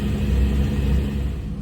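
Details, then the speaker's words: Volvo Penta 4.3 GXi V6 marine engine with lack of power, test run after cleaning the fuel pressure regulator and a dirty filter: deep, uneven rumble at low revs that wavers instead of holding steady; still running rough, cause not pinned down. "I don't think it's gonna work because it still sounds like it's running pretty rough but the filter was definitely dirty"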